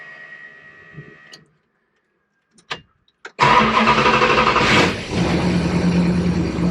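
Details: Project car first start after two weeks sitting, oil pressure primed by cranking, after remote oversized oil filter install and fuel lines reconnected, after 500 miles of break-in: short crank, clean catch, flare, smooth even idle, no rattles; healthy start.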